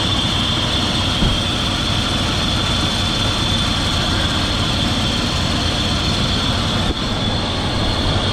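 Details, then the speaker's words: 2002 Dodge Durango R/T idling after water pump replacement, leak check: constant high whirring rasp from worn A/C compressor clutch bearing, making a lot of noise; A/C to be bypassed with shorter belt. "one thing we did notice when we were putting the belt back on clutch on the air conditioner the bearing is worn out"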